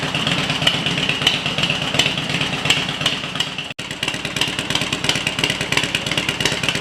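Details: Harley-Davidson EVO V-twin after EFI-to-carburetor conversion, test run: uneven loping beat near three pulses a second with light top-end clatter, running steadily with no clear fault.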